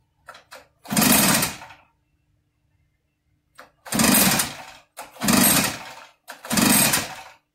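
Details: Echo PB8010 backpack blower that stopped running, choke on: four pull-start bursts, each rasping about a second with long silences and a mechanical clank, never catches; spark and fuel verified, compression felt adequate, exhaust then pulled; cranks but won't start.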